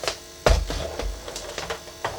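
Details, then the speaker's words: Faulty Commodore 64 datasette, powered by the C64 with audio tapped from the heads, after azimuth adjustment and capacitor replacement: irregular clacking and buzzing bursts over a low mechanical hum. Noisy tape mechanism, cause unknown. "and that is making some serious stupid noise which I hope"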